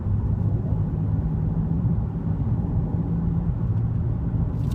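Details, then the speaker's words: 2006 Chevy Trailblazer driving at about 40 mph with a worn front wheel bearing: a low, steady groaning drone under the road rumble that builds with speed, felt as vibration through the steering and car. "pretty sure it's wheel bearing and the reason is is again it's a kind of a grind not grinding but groaning bumping noise as you pick up speed a lot of vibration in the car"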